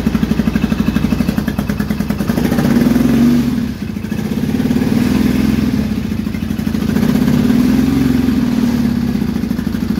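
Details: Triumph T140E Bonneville 750 twin (converted to T140V style), running after Ark Racing electric starter kit install: even thumping, revs swelling and easing back twice with clean steady firing; healthy.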